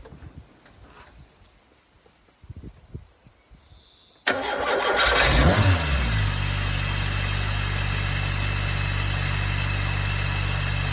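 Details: Peugeot 106 1.1i petrol engine: starts quickly and settles to an even idle with a faint regular tick about four times a second; abnormal engine noise, source undetermined.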